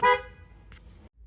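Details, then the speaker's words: Neglected Vauxhall Calibra being revived, electrics being checked: one short, loud, clear honk that cuts off cleanly; horn works. "one more thing to check does the horn work I don't really want to touch it but even the horn works"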